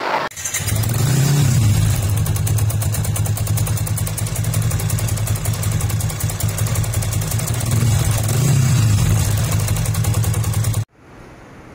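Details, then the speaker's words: Modified Yamaha FZ150i, 63mm Espada block, after first rebuild: engine revs with sharp regular puffing on each firing stroke as compression leaks past a stripped cylinder head thread that had been repaired; block also cracked, head replaced. "Head tu sebabkan trip tadi tu, sebabkan benang tu kan. Dia punya, bila dah mula-mula dia buat Syafiq adjust balik dia punya thread tu. Tapi bila dah pasang enjin, bila start enjin, dia dah keluar angin kan."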